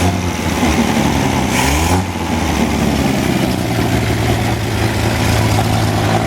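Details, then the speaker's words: Wolseley 14/56 14/60 six-cylinder engine on a stand after years of storage, warming slowly due to oversized Ford 351 cooling system: smooth, even low idle with steady beat and no bottom-end knocking; good oil pressure, normal warm idle. "bottom is lovely and quiet though and oil pressure is good turn to get nice and warm it takes a while cuz this um radiator this cooling system is too big for the motor"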